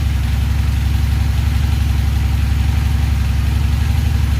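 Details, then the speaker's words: Honda Magna VF750C, cold after carb rebuild, carbs not yet synchronized: fast, steady idle with a deep even beat; revs expected to rise slowly to about 1,000 rpm, then settle when warm. "And the RPMs will slowly raise to about 1,000, and then they'll calm down when the motor warms up."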